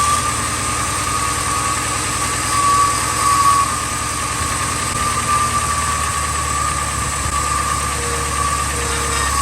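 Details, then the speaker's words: 2000 Ford F250 5.4 2V V8, cold start in freezing weather after cleaning the idle air control valve and throttle body: steady, even idle with no stumbling or hunting; normal cold idle, though fuel trims show it running lean. "good noise aome you guys see it's running much better much better"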